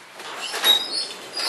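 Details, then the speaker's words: High, sweeping squeaks with a thin whistling edge as a garage door with a torsion spring is moved by hand, disconnected from the opener, from unlubricated roller retainers; manual suggests lubing them. "I didn't Lube it at all but I can assure you it is all these retainers right here squeaking I mean that's what all that noise is coming from and it's loud"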